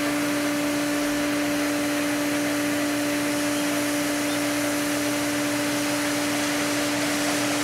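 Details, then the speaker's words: Pool pump refilling the diatomaceous earth filter: steady hum under a constant hiss of air rushing from the air relief valve as pressure builds toward about 20; normal refill. "You can hear the air rushing and the pressure increases. And once water comes out, we'll tighten it down."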